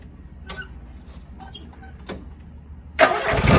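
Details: Toro Z Master 149 mower twin after new ignition coil installed, test run with guards off: a few quiet seconds of light clicks, then catches at once and settles into a steady even run; ignition firing properly.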